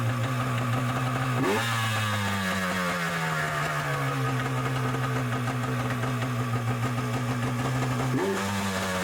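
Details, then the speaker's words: Yamaha Superjet stand-up jet ski after reassembly with greased washer and spring to stop a rattle: smooth steady idle, two clean blips settling straight back, no rattle; runs well. "No more noises. I think it's good."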